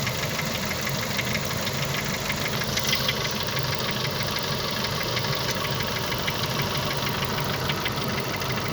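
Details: Renault F4R engine idling warm, light quick tapping knock about three a second riding over it; internal engine knock that shows when hot.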